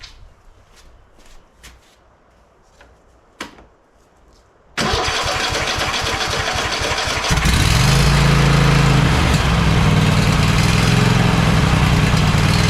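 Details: Cub Cadet XT1 LT46 lawn tractor after oil pan reseal, head gasket, new carburetor, fuel filter and valve adjustment: a few clicks, fires and settles into a steady even chug with no hunting; running properly.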